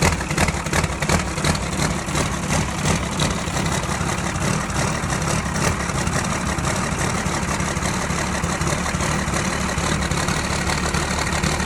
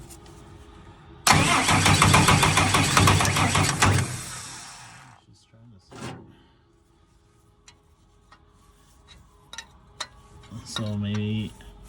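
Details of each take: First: Tucker Sno-Cat 5.9 Cummins 12-valve diesel, previously a crank no-start, after fuel-system checks: it begins firing, then settles into a steady, even low diesel clatter over twelve seconds with no stumbling or misses. Normal idle. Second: Tucker Sno-Cat diesel that stalled at season end and sat over a month; it would start and die, and now only cranks. A few seconds of hard cranking never catches, then quiet with brief bumps. Cranks but won't fire; cause not yet confirmed.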